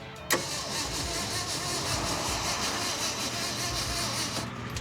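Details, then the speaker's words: 1967 Ford F250 4x4 cranking with no start: a click, then steady, even cranking with no firing at all. No spark traced to a faulty ballast resistor; huge spark across opening distributor points had eaten them up. "We traced it all back down inside the distributor, and we noticed there was a huge spark across the ignition points when they would open. Those sparks will eat up the points, which is exactly what happened."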